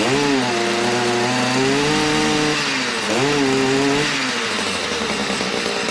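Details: Stihl MM56/MM65 tiller two-stroke, warmed up, carburetor tuned to near-final setting: clean steady buzz rising and settling smoothly with throttle; running properly, though a drip (oil, fuel or carb leak) is unexplained.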